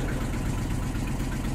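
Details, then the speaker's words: Engine just fired up cold after sitting: fast, light ticking over the idle rumble. Owner suspects an exhaust leak, maybe at the donut gasket; unconfirmed. "Sounds like we have an exhaust leak, maybe down at the donut gasket we're gonna have to take care of as well."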